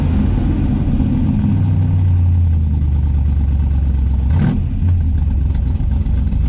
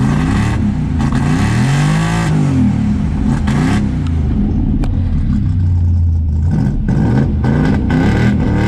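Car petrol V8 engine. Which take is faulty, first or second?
first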